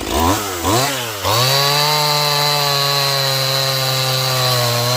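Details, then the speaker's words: Stihl MS180C 32cc chainsaw, warmed up, after opening low-speed screw ~1/8 turn to cure cold bogging: three throttle blips then clean steady high revs through cut without bogging; running well. "okay so for a little tiny saw uh 32cc saw it actually works quite well"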